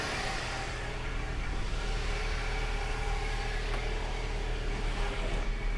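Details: BMW E46 after power steering pump, hoses and reservoir replacement, at cold start with the wheel turned lock to lock. A smooth, even low hum with no knocks, whine or pump groan; the pump is engaging and the petrol engine idles cleanly.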